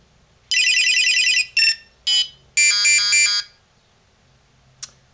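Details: Beltronics Vector XR650 radar detector that had lost its sound, powered on after its speaker was reconnected: a quick run of high, clear electronic chirps for about 3 s, then one short blip; normal startup beeps, repair successful.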